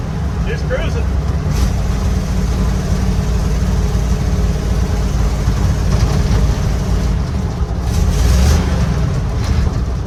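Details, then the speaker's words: 1955 Chevy dump-bed truck, sat 23 years, peppy small-block V8 with cherry bomb mufflers, driving on the road: deep, even, loud throaty exhaust burble, no misses or knocks; normal running. "Oh, this thing is great. Big Peppy, too. It's a peppy little small block,"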